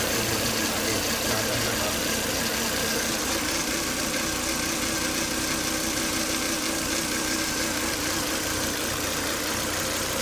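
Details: Volvo S80 2.5T idling after 10-20 minutes of running, with high crankcase vacuum strongly sucking air at the oil cap: a thin steady whine over an even idle; solved by replacing the PCV breather box/filter.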